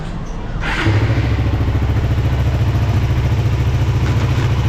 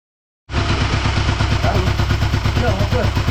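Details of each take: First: Suzuki Satria FU single-cylinder idle with light rapid tik-tik tick over each beat, like valves clattering; shim-type valves not adjustable, fixed by replacing shims; valve tappet ticking. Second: Suzuki Satria FU after top-end rebuild with gasket and valve shim replacement: even, steady low beat with no valve ticking heard previously; valve clearance now correct, running normally.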